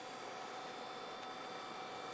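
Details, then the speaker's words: Old Gateway desktop PC whose power supply keeps shutting down, recorded with a hand by the rear vent: steady even airy whoosh with faint hum, no ticking or grinding; power supply fan running normally. "and I know probably you're going to get some wind noise but that's because the fan is still running so that is a good thing that's a good thing"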